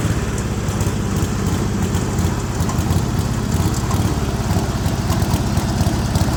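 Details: Speedex 1630 garden tractor with a new carburetor and a reused head gasket: a low, uneven single-cylinder thump at near-idle with irregular firing pulses, running rough; the cause is unconfirmed.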